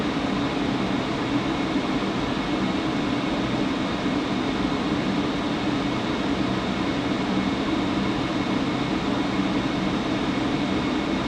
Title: Buzzing sound coming from furnace blower fan